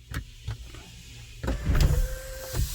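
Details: 2014 GMC Sierra SLT 4WD 6.2L L86 with intermittent sunroof and no codes, during the initialization relearn: a few clicks, then the sunroof motor hums smoothly for about half a second and stops cleanly.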